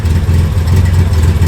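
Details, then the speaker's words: Engine idles with a deep, lumpy exhaust note that stumbles unevenly. The owner ruled out ignition and blames a plug fouled by coolant; smoke increases as the exhaust warms. "Um, and of course, you can hear that misfire, and that is not caused by ignition. That's caused by a foul plug because of coolant or something."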